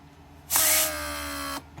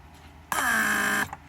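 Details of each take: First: Rebuilt Mercedes W140 500SEL door lock pump on bench: pressure released, pump restarts with steady high whine about a second; repeated restarts like this indicate a leak (e.g. lumbar support) and would overheat and burn out the motor. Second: Rebuilt Mercedes W140 500SEL door lock pump, central locking/unlocking test (pressure unlocks, vacuum locks), no leaks: clean even buzzing hum under a second, sharp cutoff once pressure/vacuum set is reached; normal operation.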